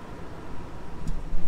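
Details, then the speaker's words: Insurance-auction Nissan Armada, front-end collision total, jump-started, AC on and blowing cold: low, even idle rumble with steady beat, no knocks or ticks; healthy-sounding engine. "overall walking around this thing looks uh pretty dang good really not beat up bad at all it's got a healthy sounding engine"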